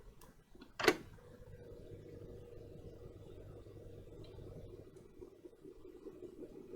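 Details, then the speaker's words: Old camera, after lightly oiling the mechanism: soft even whirr with steady low hum, no catching or scraping; sounds happier, running freely though only somewhat alive. "oh yeah you like that didn't you it really seems to have liked that sounds happier already"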